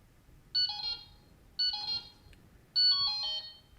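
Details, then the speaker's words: Delkim Txi-D v2 bite alarm receiver, menu 2 pairing setup, button 3 held for memory clear: three short high-pitched chirps about a second apart, the last longer, confirming paired-alarm memory cleared. "So that clears the memory."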